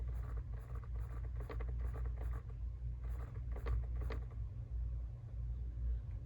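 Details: Jeep Wrangler JL at idle: irregular sharp clicks, about one every two seconds, from behind the passenger glove box over a low steady engine idle, attributed to the blend door actuator.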